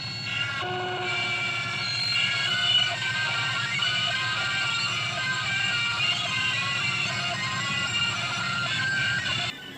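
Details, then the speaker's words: Webster-Chicago 81-1 wire recorder left playing during rewind: loud, smeared, warbling, harsh jumbled music as the wire passes the head at rewind speed; loud garbled playback during rewind. "Now I'd like you to just take a note of how loud it is during rewinding."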